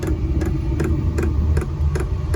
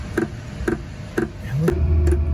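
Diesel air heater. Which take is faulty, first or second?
first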